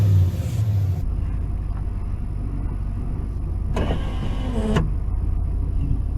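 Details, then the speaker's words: 1992 Ford F-150 4x4 302 V8 revived after sitting 10 years, with old gas, bad tank, water pump bolts repaired and a vacuum line reattached: deep steady rumble, even beat, no knocks or misses; runs healthy. "Seems to run good now. It's a 302. It's a good good engine."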